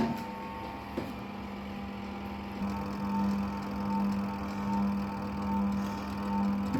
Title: washing machine spinner motor capacitor problems